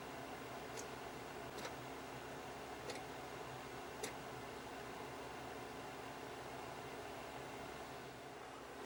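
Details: 1973 Zenith solid-state B&W TV being powered on: about five sharp, irregular pops in nine seconds over a steady hiss. Sounds like a poor electrical contact. A crusty, corroded diode near the circuit breaker was found afterward; cause unconfirmed.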